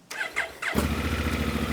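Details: Auction-bought, damaged Honda Africa Twin with DCT gearbox; a few quick starter whirs, then the twin fires at once and settles into a smooth, even idle; normal start and idle.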